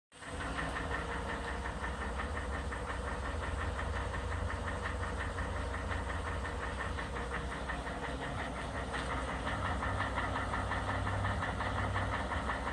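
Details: 2011 Ford F-150 Coyote 5.0 V8, 130,000 miles, at cold idle: steady hollow knock about three per second over an even hum; long-standing piston slap on cylinder 8 when cold, otherwise runs great.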